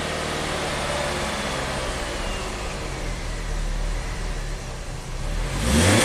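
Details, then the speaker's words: 2011 Nissan Sentra, 33,000 miles, after a stall-out and a prior shop's plug, coil, fuel pump and converter swaps: engine now idles evenly on its own with everything plugged in, then picks up cleanly on a throttle blip; normal running. "I think we're back in business it's actually idling on its own with everything plugged in right"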